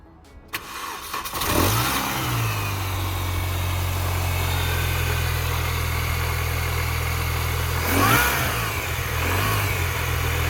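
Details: Mini Cooper S R53 started after fitting MSD coil pack, HT leads and spark plugs; catches quickly, settles to a smooth even idle with a brief clean blip, no misfire, running healthy.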